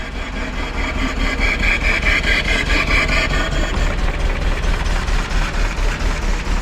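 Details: 1953 Willys Jeep CJ-3B four-cylinder, first start after sitting, with rotor refitted: steady, even chuffing idle on full choke with no knocks or misses; running smoothly.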